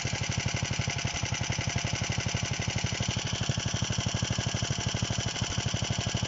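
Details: DM-1 single-cylinder engine running after a major overhaul: quick, even beat at steady speed with no knocks, misses or rattles; runs healthy.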